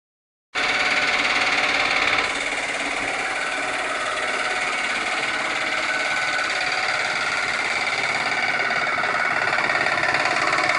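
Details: 2007 Dodge Magnum 2.7-litre V6 at idle: busy metallic rattle over the engine note from timing chain noise.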